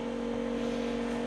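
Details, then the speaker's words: 1995 Chevrolet Impala SS during reassembly; steady even motor hum of constant pitch, first thought the big fuel pump but identified as the fan, no rubbing or knocking; normal cooling fan running. "Oh no, that's that fan. That's the fan. Yeah, that's that fan making all that noise."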